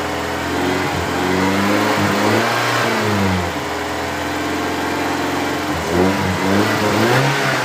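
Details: BMW E30 318is M42 engine blipped up and down with a light, quick tick that speeds up with revs; the ticking persists after replacing the timing chain tensioner, so the source is still unknown.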